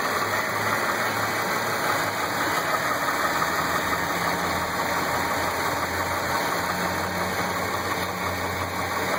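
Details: Mitsubishi 6A13 engine at idle: a dull, slightly uneven knock about three times a second under the running; worn, damaged crank bearing shells.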